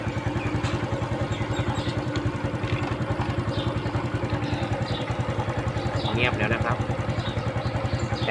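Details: Honda Wave 110i after its chain tensioner was cleaned and oiled and the engine reassembled (engine oil had been very low). Single cylinder putters at an even, steady idle with no top-end rattle or ticking: normal idle.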